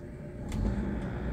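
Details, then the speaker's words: Hyundai Avega idling with AC off, revs raised slightly; smooth low hum without knocks or rattles, roughness only appears with AC on from compressor; normal idle. "mobil ini mesinnya itu baik-baik saja sekarang ini mesin hidup ya dalam kondisi tanpa AC mesin baik-baik saja Maksudnya ya jadi normal-normal saja"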